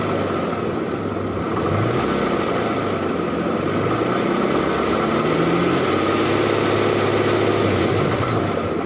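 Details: 2008 Infiniti M35x, 187K: steady engine running with uneven rattle of roughly three to four taps a second over the idle hum; source undetermined.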